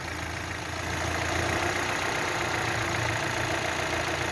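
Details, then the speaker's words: Chevrolet Sonic/Cruze/Trax Ecotec with codes P0011/P0014, mic near the intake, intake cam phaser commanded by scan tool from 62% to 80%: idle grows louder and rougher with an uneven pulse; rough idle from the far-advanced intake cam. "Nó đã đạt 80%, và hãy lắng nghe, tôi hy vọng bạn có thể nghe thấy tiếng ồn."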